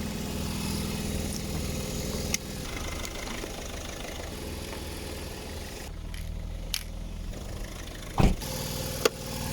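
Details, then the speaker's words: Audi A3 sat about 3 months, just started after a slow start, weak battery suspected: steady, even idle with a smooth low rumble, no knocks or misses; normal idle. "Anyway, yeah, it's running. Why not right away? Because I guess battery."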